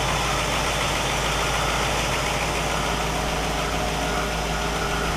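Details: 1960 Pontiac Catalina 389 V8 idling on a Heathkit IO-20 ignition oscilloscope: smooth, even idle, steady low beat about three pulses a second, no misses or knocks; ignition spot on, engine running fine.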